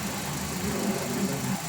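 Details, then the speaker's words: Toyota Avanza after engine flush of very dirty, thick overdue oil that had caused a scraping noise; even, smooth idle with steady low hum, no scraping or knocking; engine now almost silent; normal idle. "Tingnan nyo mga bossing, ang tinina nung andar ng makina ni customer, halos tahimik na siya."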